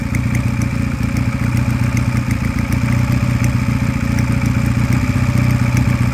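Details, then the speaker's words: Sinnis Cruisestar 125cc Chinese motorcycle at idle after an intake mod: steady single-cylinder idle with light fast ticking on top; owner suspects a slightly loose, out-of-spec valve, unconfirmed; runs better once warm. "is there's a slight clicking in the engine. Now the engine's running too well for it to be a big issue, but there might be a slightly loose valve in there that's just out of spec."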